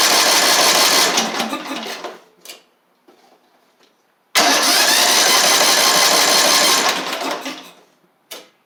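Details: Craftsman LT3000 lawn tractor engine with new carburetor, covers off: catches, runs a couple of seconds without picking up speed, then dies, twice; won't rev, plenty of fuel, spark plug not yet checked; internal damage suspected.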